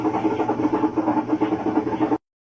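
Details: Washing machine in spin leaking water: loud, rough whir pulsing four or five times a second; the centre post and its seal wear with use and let water leak.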